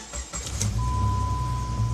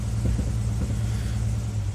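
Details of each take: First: 2000 Jeep Grand Cherokee Laredo after fixing a cylinder 2 misfire code and letting the computer relearn idle: quick start into an even, smooth idle around 800 rpm; normal idle. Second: 2000 Jeep Grand Cherokee Laredo with a misfire code on cylinder 2, hard to start: low, uneven idle in gear that jumps and stumbles from a dead cylinder. The fix is shown at the number-two injector, previously repaired once.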